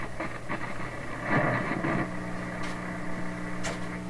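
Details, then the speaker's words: 1930s Canadian General Electric K60 vacuum tube radio on reduced voltage, tuned near 1300: steady low mains hum under faint station audio, expected to clear once the cardboard filter capacitors are replaced; volume control dirty, possibly going open. "Bit of a hum there. That'll probably go away if we change those cardboard box capacitors."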